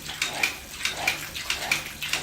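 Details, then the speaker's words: Household water pump with the tap opened halfway, then wider: rapid, regular clicking about every half second over rushing water; short cycling because the pressure tank has lost its air or nitrogen charge, fixed by replacing the tank. "Nah, kembali lagi, apa masalahnya? Masalahnya sebetulnya ada di tangki ini. Apa yang terjadi di tangki ini? Gini kawan-kawan, tangki ini harusnya itu berisi udara atau nitrogen ya."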